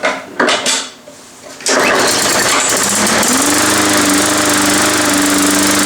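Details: Long-sitting MTD Yard Machines push mower after tune-up, primer bulb pressed: after a few pulls it fires and holds a steady, even buzzing run with no surging or misfires; running healthy.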